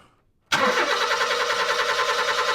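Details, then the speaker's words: 2005 Honda Jazz with fault code P0339 (crankshaft sensor A circuit intermittent), cranked with the crankshaft sensor disconnected. The starter churns the engine steadily, but it never fires. Without the crank sensor input it cranks but won't start. "so obviously it needs the crank to for an input to make this thing start"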